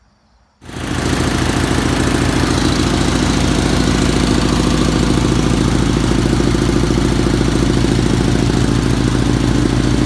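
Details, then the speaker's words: 1977 Sears 16/6 tractor with an Onan twin after a rehab (carb work, new plug wires, starter solenoid, used points): even twin beat of about 200 pulses a minute, no misses, running well. "f slapped it together, and it runs pretty good."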